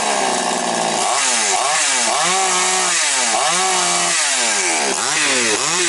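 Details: Chainsaw after air-leak repair and cylinder check, final test: crisp throttle blips rise and fall cleanly, each rev climbs smoothly and returns to a steady note with no stumbling; running healthy.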